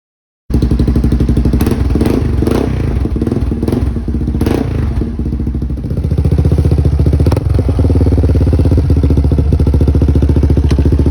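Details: 1999 Yamaha Warrior ATV, just fitted with an HMF Performance muffler and spark arrestor. Deep, strong, even thumping exhaust with throttle blips rising and falling cleanly: a normal, healthy exhaust note.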